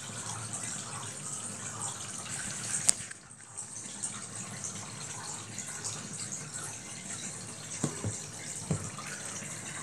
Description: This is a RV washing machine with a spin dryer.